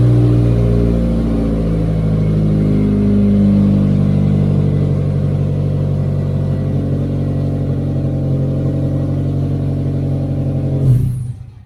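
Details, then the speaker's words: Race car running after fixing wiring and the switch, following drained batteries and no power; steady even engine note for ten seconds then clean shutdown; charging just over 14 volts, alternator working. "Perfect. It was just a little bit over 14 volts, which tells me the alternator is working too. Okay, car starts like perfect, alternator works."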